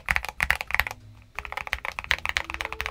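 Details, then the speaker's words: Red Dragon switches with spring lube and the back of the leaf spring also lubed, in a near-stock keyboard with Tempest tape mod and PE foam mod, aftermarket keycaps. Quick even clacks with a dull tight tone and no metallic ping trailing the presses. "I think I personally think it sounded good what do you guys think did it make a difference the gluing the back of the leaf spring bring the best out in this keyboard"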